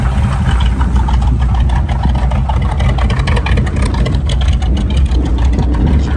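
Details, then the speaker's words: Old Chevy pickup (1971 listed) with carburetor, points ignition, power steering and brakes at idle: deep steady rumble, even unhurried beat, no knocks or misses; runs smooth and good, slight exhaust noise and a belt squeal noted. "so pretty good run and driving truck sounds good"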